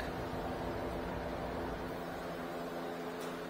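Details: 2017 Nissan Rogue, newly replaced blower motor tested with engine running: steady airy whoosh and smooth motor hum, no ticking or scraping; blower spinning freely, normal operation after replacement.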